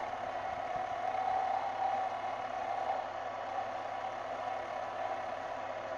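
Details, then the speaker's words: Lathe boring bar enlarging hole in aluminium ring blank; steady high-pitched squeal near 800 Hz swelling and fading through cut over lathe hum, tool chatter whine, blade suspected a little dull. "you can hear the material start whining a bit through the process I think my blade is a little bit dull here as you can see"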